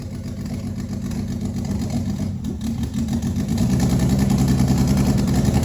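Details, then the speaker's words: First start of a turbo 24v VR6 after about a year: catches and settles into an uneven, stumbling idle, running rough because injectors are twice factory size and there is no mass airflow sensor. "all right so there it was it started um it's running really rough and that is because of the fact that um the injectors are twice the size of the factory ones"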